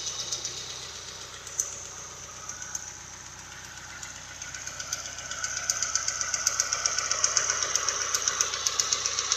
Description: Don't know what noise is making the ticking...